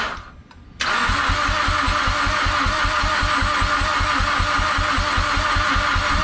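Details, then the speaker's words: Mazdaspeed6 after swapping in a new ECU and all-wheel-drive module programmed via FORScan, with some wiring faults fixed: steady uneven cranking about 3.5 beats a second, every few revolutions almost kicking but a half step off; never catches, cranks no start. "Starting to crank again, and we noticed like how it's been doing that well, now it's getting like every few revolutions it's doing like a so it like almost sounds like it wants to kick, but it's like a half step off."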